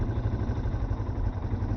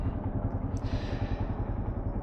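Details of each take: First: Yamaha Serow single-cylinder motorcycle idling before the idle is lowered; an even, quick thump sitting a touch fast with no hunting or misses. Idle speed set too high. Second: Yamaha Serow single-cylinder motorcycle just after the idle was lowered; an even, lazy putting at a low steady idle with no hunting or stumble. Normal idle, sounds better.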